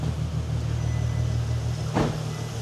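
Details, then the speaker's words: VW Golf R32 VR6, about 20 years old, first start after timing chain replacement on a jump pack; steady, smooth low idle with even beat, no ticks or rattles, sounding perfect. "sounds all right. It's like a little singer sewing machine. That sounds perfect, that does. It does sound perfect."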